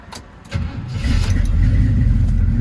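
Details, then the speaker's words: Hurricane Ida flood-damaged 1979 Chevrolet Camaro Z28 V8, second start attempt after rusty water drained from exhaust, running on carburetor bowl fuel: short crank, catches and revs to steady low rumble, still pushing water from tailpipes; sounds reasonably healthy, possible water in fuel. "Yeah, I mean, we're still pushing water out of the tailpipes, but It actually sounded reasonably healthy. You know, we may be dealing with water in the fuel or something."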